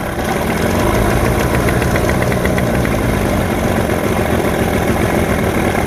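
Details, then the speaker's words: 1989 Johnson 40 HP VRO outboard on first start after storage: uneven, lumpy idle with soggy burble, a little smoky and running rich; likely old fuel residue in the carbs. "okay a little smoky probably because it's got some old stuff in the carbs and everything sorry nick he's pumping that noise a little rich"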